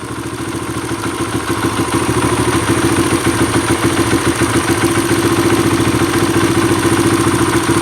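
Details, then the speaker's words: Kawasaki KLX140 single-cylinder four-stroke, warm, idle speed turned down, air screw half a turn in (richer): thumping near idle about 3.5 pulses a second, slightly uneven, still boggy off idle; lean, pilot jet too small and needs going up a size. "So half a turn in with the air screw makes it richer. So it's still boggy, maybe a tiny bit better. That means that the pilot jet is definitely too small."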